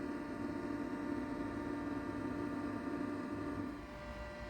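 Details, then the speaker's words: 1985 Atari SH204 20 MB external hard drive, first power-on: quiet steady whir with even low hum, fan spinning and initialization beeps, no clicks or scraping; drive spins up and runs normally. "yeah it sounds good"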